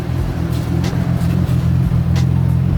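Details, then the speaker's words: Nissan Cefiro A31 at idle, heard at the exhaust, after a new OEM fuel pump was fitted: an uneven, lumpy idle with a stumbling beat and a visibly shaking engine. A bad misfire; cause not yet found. "can hear it she's like blah blah blah blah blah but I won't focus right now I'm income to the motor it's kind of you could tell it's shaking right now"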